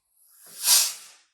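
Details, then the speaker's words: Normal short hiss as the nitrogen regulator shuts off after brazing a suction line joint on a Daikin R32 4 kW air source heat pump split system install; swells and fades in about a second. "Can now turn off the nitrogen, and you'll hear a hiss as the regulator just shuts itself down."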